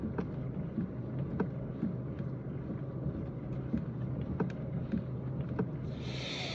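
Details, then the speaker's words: Kia Rio 3 while driving; light sharp irregular clicks, one or two a second, from under the steering wheel over road rumble; click disappears when the steering wheel is raised; cause unknown. "вопрос к знатокам машина Kia Rio 3 посторонние щелчок идет из-под руля"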